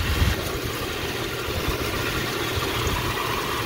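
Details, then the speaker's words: Jeep Cherokee 4.0 inline-six, clean oil, idling while warming up: even steady idle with a faint power steering pump whine, no knocking or ticking; healthy engine. "this is the sound i'm hearing pretty much the power steering uh pump but so far sounds great my initial reaction is gonna be you know this is a pretty solid 4.0"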